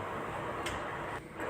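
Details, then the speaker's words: Honda City petrol engine idling steadily after repair, with a light even ticking and no knock; check engine light now off after scanning for code P2649 and replacing a part that had caused knocking and misfiring. "तो ये आप देख सकते हैं check engine light भी नहीं ए रही है और गाड़ी नॉकिंग भी नहीं कर रही है"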